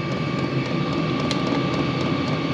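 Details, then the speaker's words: New diesel heater in cargo trailer camper, first run on 12 V, still cold: steady, even roar with faint fan hum, possibly fuel pump ramping up, no knocking or sputter; burning cleanly, running normally. "it is running it's still cold but you can hear a I think that's the fuel pump maybe this is kind of ramping up"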